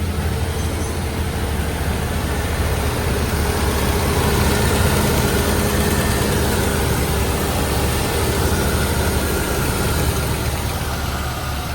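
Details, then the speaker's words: One-owner Ford Ranger the shop said needs an engine: deep, lumpy, uneven idle with ticking and a steady hum while oil pressure is present, and the cause of the lost coolant is found, a major engine problem. "It's It's running kind of ticking. Let's see. We got oil pressure. So, what's the deal?"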